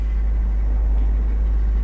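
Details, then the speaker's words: £250 BMW E39 528i six-cylinder at first start after a car-park repair, some smoke present, alternator charging 13.9 volts: deep, even idle hum with no knocks, ticks or squeals, sounding healthy. "what does this sound like any noises any bad noises no amazing that sounds very healthy actually"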